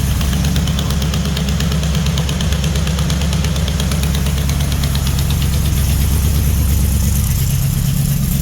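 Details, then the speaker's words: Freshly built Mopar 400 big-block with 4-speed, destined for a 1964 Dodge Polara 500: deep, even burble at a steady lope of about three pulses a second, no knocks or misses; healthy idle, slight header leak. "That fan moves some air, don't it? that. That actually sounds pretty good. Probably idle that down some. I can live with that."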